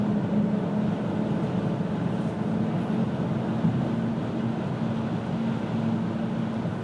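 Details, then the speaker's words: 2000 Pontiac Grand Am GT cruising: steady low hum over road noise with vibration felt underfoot, strongest around 35-40 mph, persisting despite hub bearings replaced twice, new driver CV joint, brakes and tire rotation. "all right it's not that easy to explain it's just you it's a vibration I can feel it sometimes under my feet sometimes I can't"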